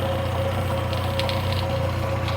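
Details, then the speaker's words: Classic Morris Minor revived after years off the road, running after distributor and mixture screw adjustment: quick even ticking over a steady low idle; the fuel pump is making strange noises and may be replaced. "okay that fuel pump is making some strange noises so I might replace it with the face set one but the same sort of style"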